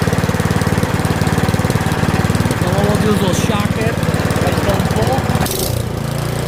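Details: Curb-find Yard Machines 21-inch 179cc OHV single-cylinder snowblower, after a full-throttle run, throttle a hair above the stop; steady chug with even firing pulses, holding speed without hunting or dying, a normal idle.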